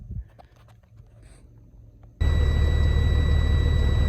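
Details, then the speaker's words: Air brake system tested after an air dryer service (new O-rings and greased fittings): engine at a steady low rumble with a faint even whine while pressure builds fairly quickly. No hiss of escaping air; no leaks heard. "Thanks for filling up pretty quick. No leaks that I could hear anyway."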